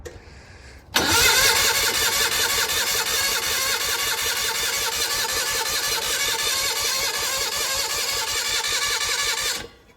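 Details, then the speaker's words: Gehl Hydracat skid loader with Onan engine, revival attempt after checking coil power: steady fast cranking, about three turns a second, for eight seconds with no catch; engine smells flooded with fuel. "smells flooded now yeah yeah ready yeah"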